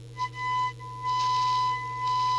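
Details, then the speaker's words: PE Ranger 1981 6-channel 500mW CB27/81 transportable, receive section before alignment, test tone picked up by holding the test lead to the speaker: thin, rough tone with hiss swelling in and out; distorted received audio, cause unconfirmed, alignment per manual next. "that's a bit iffy, isn't it?"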